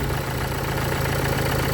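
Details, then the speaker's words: 2014 Renault Duster diesel after 100,000 km service with new quality timing belt, correctly adjusted: steady smooth idle, low rumble, no ticking or rattle from belt end, little noise; normal idle. "അത്യാവശ്യം നല്ല company belt നമ്മൾ ഇട്ടതുകൊണ്ട് noise ഒന്നും അധികം ഇല്ല, correct adjustment ആണ്."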